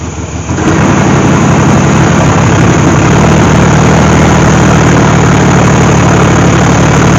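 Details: 1998 GMC Sonoma 4.3-litre V6, revived after sitting for years in swamp grass: engine catches once fed fuel and settles into a steady, even idle with a firm low rumble, no misses; it runs fine.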